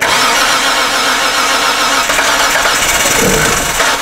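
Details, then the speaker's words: 2007 Hyundai Santa Fe 2.7L cranking with acetylene fed into the intake behind the MAF: about four seconds of cranking with a few weak stumbles, never catches; spark and injector pulse present, fuel pressure suspected missing. "됐어~ 여전히 크랭크가 이상하죠 하지만 여러분! 이것은 단지 확인입니다 여기 연료에 문제가 있습니다"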